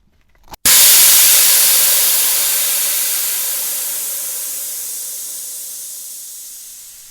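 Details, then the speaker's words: Jeep tire, on pavement, hole deliberately punched in sidewall before a GlueTread sidewall patch repair: sudden loud rush of hissing air fading over several seconds as the tire goes flat. "so i'm gonna go ahead and put a hole in the sidewall and then we're gonna patch it right in front"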